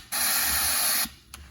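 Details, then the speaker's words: Dodge 68RFE transmission with a persistent no-reverse fault, air-checked on the bench: a hard, steady hiss for about a second that drops off sharply as air escapes the low/reverse clutch circuit with a huge pressure loss. This is the cause of no reverse. "This is your low reverse clutch right here. And there's a huge pressure loss. There is something going on in here. It doesn't hold at all."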